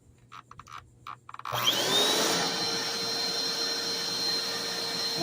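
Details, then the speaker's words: Black and Decker BDLCE101 vacuum on the bench before belt replacement: after a few clicks the motor spins straight up to a steady high whine with no rubbing or rattle; motor runs freely. "That's spinning like a demon. So, that's good."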